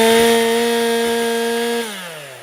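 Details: Stihl MS241C M-Tronic two-stroke chainsaw after a carburetor clean and partial rebuild: new gaskets and diaphragms, needle lever set, new fuel filter, fresh Aspen 2T fuel. A steady high scream at full revs drops cleanly when the throttle closes; it runs normally.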